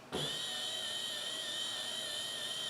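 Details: 2005 Honda Accord, 3.0, high mileage, after replacing the wiper motor for a no-wipers complaint: steady high-pitched electric whir holding even speed on high, no grinding or clunks. Normal wiper motor operation.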